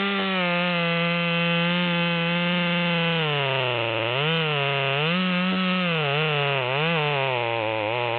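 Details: Modified Stihl MS200T with 25-inch bar, carburetor tuned to upper rpm limit, cutting a log: high, strong buzzing tone holds near top revs and dips only slightly as it bites; pulling cleanly.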